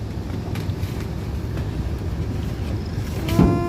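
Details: Furnace blower steady rumble, then thump and thin whistling whine as increased blower-cabinet suction from the air filter pulls air through a small crack at a silicone spot; fix by sealing.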